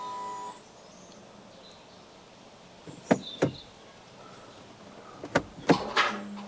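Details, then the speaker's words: Stolen-recovered Cat N Fiat 500 Lounge automated gearbox, engine off, selecting neutral, reverse and Auto: short whirring clunks as actuator engages each gear cleanly and promptly; normal actuator engagement. "reverse you can hear it going into gear that's neutral"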